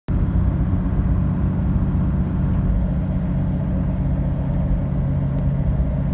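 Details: Freshly rebuilt Toyota 2H diesel at idle: steady low rumble with a light ticking running through it; cause of ticking unknown.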